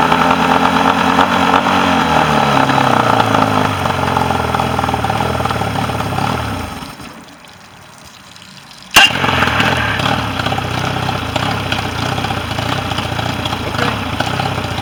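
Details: Mercury 40 two-cylinder outboard that came in with a no-start and would not idle, balance check showing the bottom cylinder not firing; after repair it revs, dips briefly, then runs steady, hitting on both cylinders with no crankcase leak.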